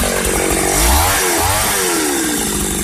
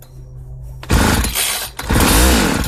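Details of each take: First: 1995 Ardisam 8900 Earthquake two-stroke auger after repair with a rebuilt Tillotson carburetor, run after a cold start: blips up and down twice, then holds a strong, even high-speed buzz without stumbling before cutting off. Normal running. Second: 1995 Ardisam 8900 auger (Earthquake/Eskimo), two-stroke with an empty tank: it barks to life on carb cleaner sprayed in the intake, sags after a second and revs again. Runs briefly on starting spray only, no fuel.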